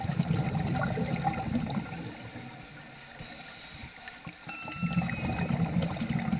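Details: Vintage Nemrod Snark III double-hose scuba regulator on a pool dive making strange sounds never heard before, though it still worked very well; underwater breathing rush and bubble gurgle, then a short thin squeal near exhale, cause unidentified.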